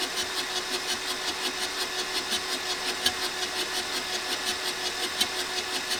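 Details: 1984 VW T3 single cab, 1.6 diesel, long unused junkyard truck; slow even cranking pulses about 80 a minute, no catch or firing; fuel confirmed at injectors, next check compression and timing.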